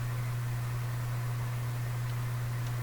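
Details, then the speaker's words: Canadian General Electric A55Z valve radio during capacitor replacement: steady deep mains hum under a quiet speaker, strong at first then reducing; supply still letting hum through. "home was strong at first hum is reduced it's continuing to go"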